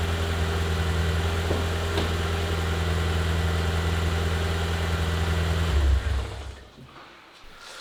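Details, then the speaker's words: BMW E36 Touring, first start in six months after engine re-gasketing, no exhaust fitted: loud, raw, deep bass idle with a steady throb of about three to four beats a second before shutdown; won't rev as something was left unconnected. "i thought it's gonna be more quiet but obviously it's not it has this bass sound in the exhaust which i like to be honest"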